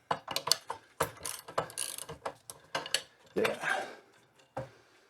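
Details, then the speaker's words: Old drill press, nearly 40 years old, being torn down for restoration. Turning the feed crank gives irregular ratcheting clicks and clunks as the pinion teeth skip over a flattened section of the rack. "yeah what's going on is it's flat here and I can't Craig the teeth aren't gonna chew through that"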